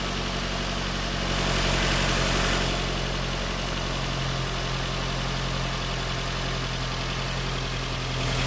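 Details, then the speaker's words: Nissan Rogue idling after new ignition coils and spark plugs, some oil burning off, no check engine light; smooth even idle, steady low hum, no misses or stumbles; normal, second cylinder to be watched for oil. "Now you can hear the difference. That's what it's supposed to sound like."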